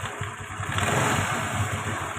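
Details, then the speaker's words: Honda Vario Techno scooter engine after replacing a worn valve guide and the valve, which had caused top-end noise; steady low even putter with no top-end rattle; normal smooth idle. "Oke untuk mesin sudah halus Nah untuk mesin ini Sudah halus"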